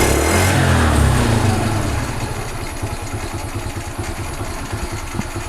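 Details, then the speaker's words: Carbureted G-Moto Cross X Pro moped, during air filter service: revs drop into a loose, throaty idle of about four pulses a second with a hollow intake rasp. The engine is running without its air filter. "maintenant je vais l'ouvrir un peu fonctionne sans filtre à air"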